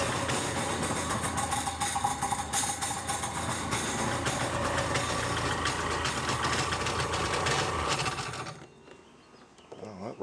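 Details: Polaris SL 750 jet ski two-stroke with newly fitted cylinder, not yet broken in, fired up on land: busy clattery running with a loose metallic rattle before it cuts out; rattle source not yet known, owner finds it disturbing.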